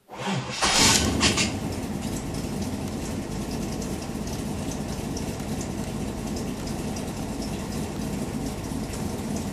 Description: '79 corvette with new 383 Stroker, little hard to start when warm.